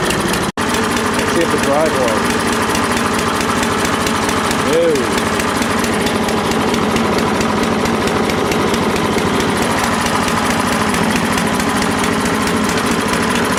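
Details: Troy-Bilt 12AV566N011 mower after its carburetor bowl and main jet were cleaned and gas was flushed through the needle valve. It holds a steady, even buzz with no surging or misses: normal running.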